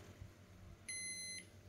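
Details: Mitsubishi IH induction rice cooker (Japanese domestic) after power board repair, drawing about 12.6 A and reaching about 179°C: a clear high half-second beep, then another, over a quiet room. The cooker switches to keep-warm as it should.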